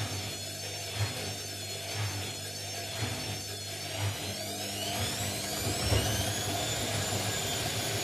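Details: Indesit mini washing machine on spin with an unbalanced load: steady roar with a heavy thump about once a second and a rising whine as the drum speeds up; worn drum bearings.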